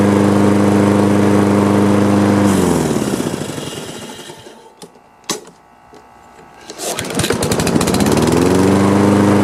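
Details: Husqvarna AWD mower after cleaning a mud-clogged carburetor, previously running rough: small single runs steady with an even beat, drops away at shutoff, then picks back up smooth; running fine.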